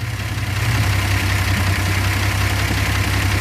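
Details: Rambler that lost power on a hill, cylinder 5 with low compression, no smoke: lumpy idle with an irregular low thump about every third of a second; owner suspects stuck valve or bad seat, possibly head gasket.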